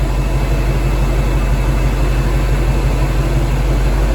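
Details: V8 after heater hose and cooling system work, radiator not topped off: deep, even burble holding steady with no ticks or knocks while testing the custom heater at full blast; clean, healthy idle.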